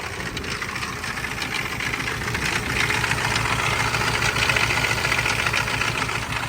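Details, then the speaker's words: Auction-bought Isuzu diesel runs with heavy, uneven knocking at roughly three to four beats a second over a rough idle, loud rattling and blow-by; the owner suspects it is blown up. "so in case you're wondering it sounds like it's blown up so I'm not worried about it not having cooling much"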